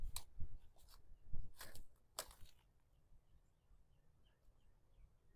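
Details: Electric fence arcing: sharp, irregular pops in the first seconds, then quiet, where a small frayed wire piece touches another strand on a hotwire.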